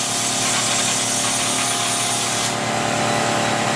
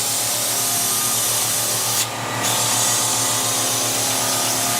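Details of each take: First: Kaivac no-touch cleaning system internal pump primed through the pressure hose with vacuum hose hand-sealed: steady pump whine with loud hiss, then the hiss drops away abruptly and pitch settles; normal priming. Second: Kaivac No Touch Cleaning System internal pump, pressure-hose ball valve open, vacuum hose sealed by hand to prime: steady low hum under a loud airy rush with no firm load note; running dry, air-locked, until pitch changes when primed.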